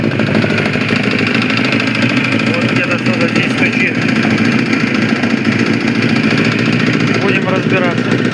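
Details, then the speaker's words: Suzuki GSX-R1000 motorcycle (transcribed "GC-R X1000") in for a complaint of engine knock, idling with a steady busy clatter; the knock is hard to separate from valve noise and the cause is not yet known. "Приехал с жалобами на стук в моторе. Сейчас быстренько послушаем."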